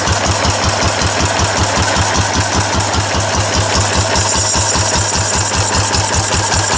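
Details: Restored four-horsepower Cushman binder engine with wide flywheel and original paint and tank, test run after restoration, started stone cold; sharp regular exhaust thumps about two to three a second, no knocking or misfires, running sound.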